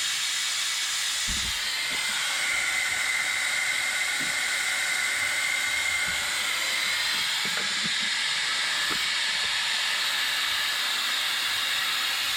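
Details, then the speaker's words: Air-driven venturi coolant vacuum filler pulling vacuum on a 2016 Ram 3500 6.7 high-output diesel cooling system during a coolant exchange: constant loud airy hiss holding steady, faint knocks underneath; normal vacuum filler operation. "this here evacuates all the air so when I close this valve pull the trigger it creates suction right here so this is going to suck all the air out the radiator hoses will collapse and everything"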